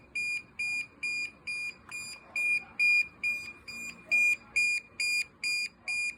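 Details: DJI Mavic Air 2 drone: steady high-pitched beeps, roughly two per second, repeating with no pause; an alarm of unknown cause.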